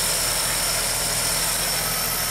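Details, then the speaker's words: 1985 VW Rabbit Cabriolet convertible with Bosch CIS K-Jetronic fuel injection, previously running very rich then dying, now repaired: even, steady idle with no stumble or hunting over a loud hiss; normal idle. "the running bad and the rich problem actually started while we had the car but it's running good now"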